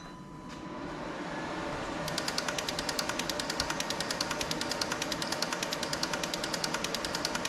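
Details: Six fuel injectors on bench testing unit, pulse injection test checking firing and solenoids: crisp even clicking about nine per second over faint hum; all injectors firing correctly, flow readings close across.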